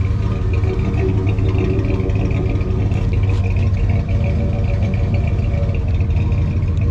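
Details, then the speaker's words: All-original 1976 Ford F-250 Custom V8 with Flowmaster mufflers: deep, steady even rumble, no belt squeal, no exhaust or manifold leaks; healthy. "Got a great rumble."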